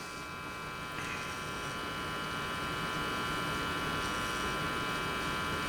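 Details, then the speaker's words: Philco 53-702 tube radio after replacing the last two capacitors (a Y2 safety cap to ground and one across the line), on a Variac at 100 V through a dim-bulb tester: steady buzzy mains hum with thin whining overtones at full speaker volume, still more than hoped. "I was hoping that hum is a little bit less, but it's not where I want it to be. That's full speaker volume."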